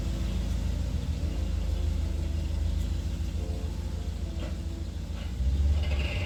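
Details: 3UZ-FE V8-swapped Mercedes C-class cold-started for the first time in 4 months (battery 11.5 V at ignition on): deep, even V8 rumble settling into a steady idle, no knocks or misfires; starts without issues, a normal clean cold start.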